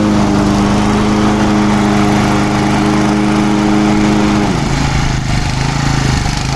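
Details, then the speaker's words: Low-hour Japanese-made Honda HR215 lawn mower, just freed from seizure with kerosene and oil in the cylinder. Runs steady at high speed, then drops lower and runs rougher. Idle not set but it idles; it smokes, possibly needing a rebuild. "idle's not set on it but it will idle it is actually running"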